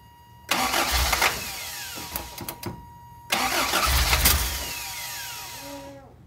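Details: 1988 Toyota Pickup 2WD, 22R engine with stock Aisin carburetor: two start attempts catch with sharp pops and coughs then fade, backfiring into the intake through the carb, air filter off, puff of smoke seen; cause not yet confirmed.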